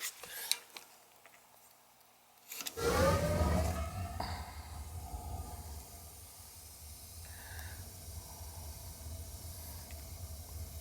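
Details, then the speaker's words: Newly replaced gas water heater with new 4-inch smoke pipe and shutoff: quiet clicks, then soft whoosh as burner lights and settles into a low steady roar; pilot stays on, clean normal ignition, no leaks. "I should be able to hear it when it comes on. It's lit."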